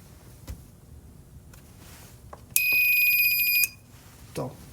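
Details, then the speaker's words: 300W DC-to-AC power inverter on bench power supply, powered on before repair: shrill, steady high-pitched buzz about a second, green LED flickering, no output; inverter fault, cause unknown. "a problem it doesn't do anything other than just squeal make a bunch of buzzing sounds there"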